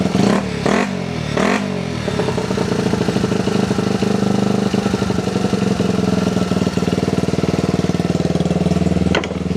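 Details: Restored Honda XR75, sat about five years and wouldn't start, just started after two kicks; small single-cylinder thumps settling to a steady even idle after throttle blips, no knocks or rattles. Normal idle.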